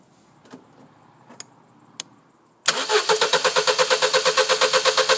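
After some clicks, the starter churns at a steady three beats a second, but the engine never fires or catches: cranks, won't start.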